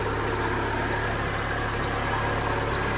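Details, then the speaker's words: 2008 Chevy Aveo after throttle body/actuator replacement: idle was 1500 rpm, then relearned down to about 1000 rpm with no error codes. Smooth, even low idle with a steady hum and no misses. Normal idle. "I don't see any error codes at the moment you have a low air tire but we're at thousand rpms right now so it must have relearned it"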